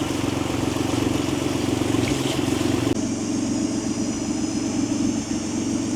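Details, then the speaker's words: 1993 Acura NSX, 3.5L stroker twin-turbo, twin-disc clutch, rolling at low speed on first test drive; rough uneven rattle over engine, normal twin-disc clutch rattle. "So, you can hear the clutch making all kinds of noise. Twin disc. Pretty normal for these things."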